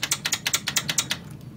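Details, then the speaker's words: Biqu B1 3D printer while printing: quick run of sharp squeaky ticks about seven per second, then fading, from the bed mechanism; loose bed adjustment knob, a design flaw needing the part replaced. "it squeaks and it will drive you absolutely nuts but that is the only issue i've actually faced with this printer"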